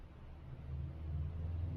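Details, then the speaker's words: 1965 BMW R50/2 boxer motorcycle after carburetor cleaning, started on second kick with no choke after about three years sitting: low, even boxer thump settling into a steady smooth run, no misses or knocks. "But this thing literally just started second kick with no choke after three years of sitting or so. That's awesome. Well, there we have it. 1965 BMW running per request."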